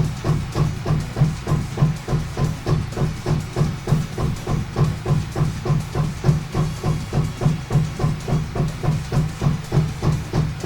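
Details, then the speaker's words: Anycubic Photon M3 Max resin printer after screen replacement, homing: steady rhythmic thumping grind about three beats a second as the Z axis homes, likely binding; abnormal grinding during Z-axis homing. "home yep that doesn't sound good at all what the hell what the was that I set the home what the was that"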